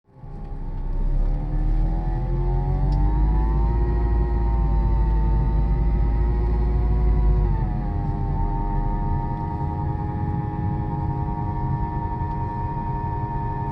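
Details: 2007 Dodge Caliber CVT, 70k miles: a clear moaning tone climbs with speed, holds, then drops as the car slows, over low engine rumble; the whine is heard only at low speed when accelerating and decelerating, with no slipping or power loss.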